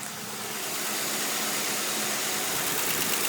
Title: Ticking/Click sound coming from my CVPI